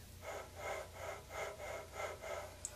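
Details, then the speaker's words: Riello burner motor, newly set up, hums with a rhythmic scraping whoosh about three times a second; the bearings are getting dry and its remaining life is uncertain. "Those bearings getting dry. How much life this motor got? I don't know, but hopefully it lasts a little bit so I could fire up outside."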